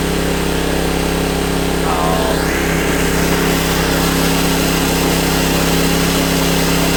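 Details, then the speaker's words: Honda EB1400X generator that previously wouldn't put out power, now making power: single-cylinder engine in a steady, even hum at governed speed, no hunting or misfire, 112 volts at about 60–65 hertz; running normally. "Really, it's 112 volts with 60, whatever it was, 65, whatever hertz. Smokers. I don't even know what to say. I wasn't expecting it to work."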